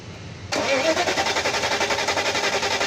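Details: Mercedes S500 S-class (2000-2006) that won't start or starts then dies: steady rhythmic starter cranking about four beats a second, never catches; fuel pump losing pressure, pump replacement needed.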